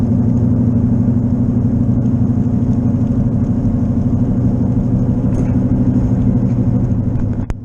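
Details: Left wheel bearing worn, unrepaired, heard for weeks and thought to be an engine issue until a coworker identified it. Steady low droning hum under road noise at 55 on wet roads, building as the car speeds up. The noise grows under right turns.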